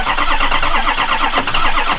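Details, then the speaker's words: 2004 Ford F250 6.0 diesel cranking: rapid starter cranking about two seconds without firing; FICM voltage 48 V key-on drops out of spec during cranking, failed FICM power supply, board to be replaced. "as we saw when we tried to start it it immediately went out of spec and dropped down so that's a good indicator checking the voltage that the victims no good"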